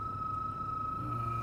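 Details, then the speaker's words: Mercedes E320 W211 at 186,000 miles, below freezing: a steady high-pitched screech over the low hum of the blower motor at low fan speed. It goes away above half speed; the blower is due for replacement. "which is actually coming from the blower motor so if i do this yeah it will go away"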